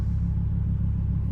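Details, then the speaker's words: Twin-turbo Audi R8 used as a daily driver, deep smooth even idle rumble with no misses, ticks or hunting, after driving in manual mode; twin-turbo engine idling cleanly and perfectly. "idling perfectly I mean this thing is like a literal daily driver"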